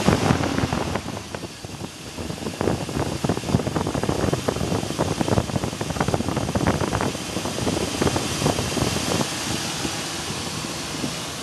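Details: 2002 Chevy Silverado 2500 6.0 V8 at idle: quick, irregular tapping knock over a rough hum. The owner suspects a rod or lifter, not piston slap. Changing to 10W-40 oil did nothing; synthetic 5W-30 made it about 80% quieter.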